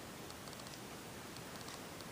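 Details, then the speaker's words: 42" SMC U42 ceiling fan after wiring issues were fixed, running on high speed at roughly 215 rpm: soft steady rush of air, bearings barely audible and very little motor hum; normal quiet running. "one thing that surprised me is how quiet this is for an SMC fan I can hardly hear the bearings at all and also there's very little hum from the motor"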